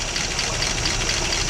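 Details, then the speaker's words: 1956 Pontiac engine idling after sitting roughly 30–40 years, some smoke expected, runs steady and even under a soft hiss with no knocks or stumbles, smooth like a kitten; normal idle before running out of fuel. "a little bit of smoke has to be expected it's been sitting a long time look at that that is incredible man oh man sitting that long turnning like a kitten ain't that"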